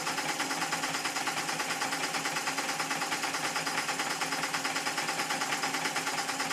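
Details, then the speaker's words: Stuart S50 steam engine on compressed air after shortening the slide valve, driving a dynamo and lamps; quick, even exhaust beats about three per second, steady rhythm, knock-free; eccentric throw possibly not quite right; normal running. "I really think this is about as good as I can get this engine to be maybe the throw of The Eccentric ship is not quite as it should be it easily Powers the Dynamo and lights the lamps very well"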